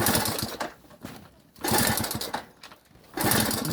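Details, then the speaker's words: Delta moped, cold start on old petrol refilled from the bottle, slight throttle added: three short bursts of rapid chuffing fade without catching; cranks but won't start; owner suspects fuel not reaching the engine, possibly a leaky fuel line. "А так поки що поки щось воно не дуже заводиться. Може газку трохи підкрутиться."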